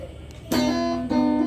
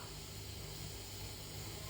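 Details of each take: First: Fender electric guitar: two clean strummed chords with no crackle or static when the cable is wiggled; only slight hum from the low-quality amp. Signal path healthy. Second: Fender electric guitar through an amp: steady low hum and hiss with intermittent static and cutting out, because the output jack's metal contact isn't touching the cable tip; a bad contact at the guitar's output jack.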